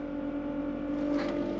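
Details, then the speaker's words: Salvaged car with full service history and cambelt replaced, long sat unused, on cold start at high revs: a steady, level high whine over the engine that soon goes away. Owner suspects the alternator, unconfirmed. Whine after cold start. "I think it is I think it's just from where it's been sat yeah there you go noise it's gone it's just been where it's been sat around for ages that sounded like maybe the alternator just going"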